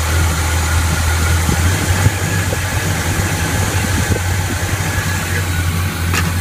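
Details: 1981 Chevy K10 V8, Quadrajet carb after installing a Mr Gasket heat dissipator against bowl fuel boil-off and a new throttle cable to cure binding: steady low rumble at warm-up idle, smooth and even, no knocks or misses; normal idle.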